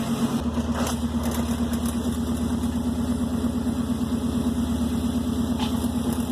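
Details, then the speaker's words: Subaru Forester daily driver after a junkyard-style exhaust rebuild, started and idling: even, steady idle hum with a regular pulse and no puffing or ticking; normal idle, no exhaust leaks heard so far, underside check pending. "sounds pretty good so far I don't hear any exhaust leaks but I got a roll underneath and make sure there is no exhaust leaks"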